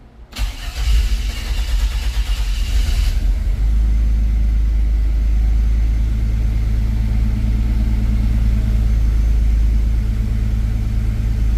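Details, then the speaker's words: 1954 GMC COE being sorted out. Cranks about three seconds before catching, then a low idle that wavers slightly: a hard start with an unsettled idle. The owner plans to redo the setup wizard and reset the IAC, then let the engine warm up so it can relearn. "so it does look like I'm gonna have to redo the wizard one more time reset the IAC and uh go from there so I needed to get up in the temperature range so it'll learn and then we'll try it again"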